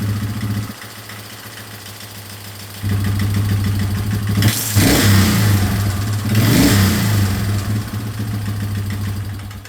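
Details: 2003 Yamaha Wolverine quad with fuel tank refitted and no longer leaking after fuel-leak repairs: even idle with two crisp throttle blips rising and falling back cleanly; runs pretty good and responds well.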